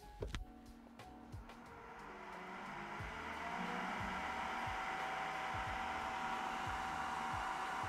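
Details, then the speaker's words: Creality K1 side cooling fan, unmodified baseline: loud steady airy whoosh with even hiss, about 67–68 dB total; normal but loud. "okay so we got about 67 or 68 DB in total that is where we stand with the side fan"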